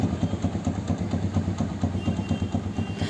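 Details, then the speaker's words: TVS Victor 3-valve motorcycle after repair of a knocking, non-starting engine with timing chain tensioner work, electric-started: a steady, even single-cylinder thump at a smooth idle with no knocking or ticking, a normal healthy idle (the silencer is cracked). "देखो first class start engine में कोई भी sound [संगीत] नहीं बिल्कुल बढ़िया"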